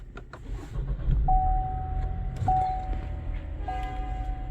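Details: 2021 Chevy Trailblazer after coolant flow control valve replacement for P3075/P0198/P0128 and coolant learn/reset: engine catches and settles to a smooth steady idle with dash chimes; healthy.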